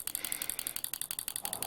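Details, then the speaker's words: Vintage 1960s pulse-proportional model radio control on a three-cell battery pack: rapid even clicking of the actuator flapping against its mechanical stops, about ten a second, biasing left or right with the stick; normal operation. "as you can see if I push this stick to the left it biases the actuator To the Left Right Rudder biases it over to the right and in the center it's flapping both ways the clicking you can hear is actually mechanical stops very simple very effective"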